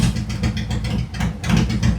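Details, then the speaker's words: 2018 Harley-Davidson Road Glide, Milwaukee-Eight 114 that ran hot with poor mileage, after repair, Cycle-Rama CR480MT cam install and ThunderMax re-tune: low, even loping idle with steady pulses, no misses or ticking; runs effortlessly, not struggling to idle, very quiet. "Listen how effortlessly this bike is running. It's not struggling to idle. Engine is really, really quiet."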